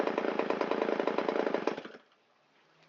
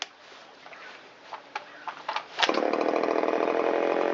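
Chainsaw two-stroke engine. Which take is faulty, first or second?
first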